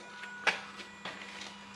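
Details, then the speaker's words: Toyota 3UZ V8 swapped into a 2005-2015 Hilux 4x4 with a conversion wiring loom (engine from a JDM Celsior), key on with engine not running after checking core and injector power. Faint steady low buzz with light clicks from the throttle body: normal. "we get a buzzing when we turn the key on from the throttle body"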